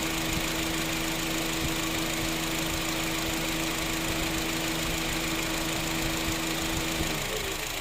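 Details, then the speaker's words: Honda City after AC repair (loose bearing burnt compressor clutch; clutch set replaced, compressor oil changed, O-rings, filter, refrigerant): idling with even, steady compressor hum, no rattle or grinding, then it drops away as clutch cycles off; cabin 5°C, outside 32°C. "คอมกากพัดลมหยุดนะคะคุณหภูมิภายในรถตอนนี้อยู่ที่5องศานะคะส่วนอุณหภูมิภายนอกที่32นะคะ"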